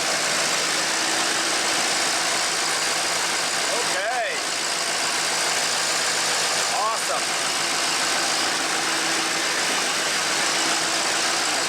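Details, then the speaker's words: Old tow truck diesel, just started after sitting, cranked to free up rings: settles into an even idle with a steady hiss on top and no knocks or misses; running fine. "yeah you can hear it he's running"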